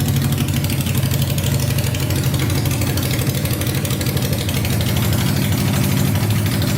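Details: Honda 500cc engine swapped into a tractor, first run after a carb clean, wiring repair and fresh gas with spark on all 4 plugs (coolant not yet added): very loud, deep, even thump about three per second with no knocks or misses; idles perfectly.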